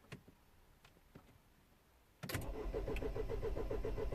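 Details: 2010 Mini Cooper S 1.6 N14 non-runner: quiet ticks, then the starter spins the engine at a steady whirring pace with no firing. It cranks but won't start, and no crankshaft or camshaft speed signal reaches the DME.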